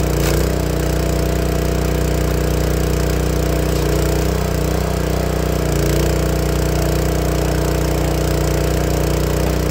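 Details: Honda GX160 log splitter engine after replacing the failing spark plug that caused popping when warm: constant-speed steady drone with no popping, coughing or stumbling; runs healthy.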